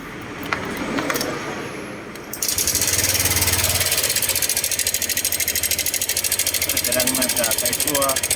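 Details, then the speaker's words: Honda Click 125i LED (2017–18) scooter: sharp, fast metallic ticking over idle, louder when revved, traced to the cam chain tensioner, which is replaced with a new one. "ตัวนี้นะครับผมตัวปรับความตึงโซ่เดี๋ยวเรามาถอดดูกันนะครับว่ามันเสียหรือเปล่านะครับ"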